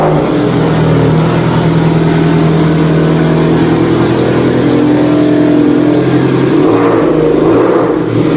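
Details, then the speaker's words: Subaru STI with TOMEI exhaust, after an exhaust leak was fixed with new gaskets, started off the lift: a loud, deep exhaust note revs and settles with no puffing or ticking at the joints. Exhaust is sealed, normal start and revving. "Just got to get her off the lift and hear her start. Loud, Well, it's a good loud."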